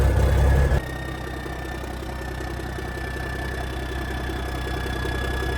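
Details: 1987 cabover truck diesel, first cold start in years: catches and settles into a steady, even idle with no knocks, misses or rattles. Oil pressure about 40, even builds air pressure; normal idle.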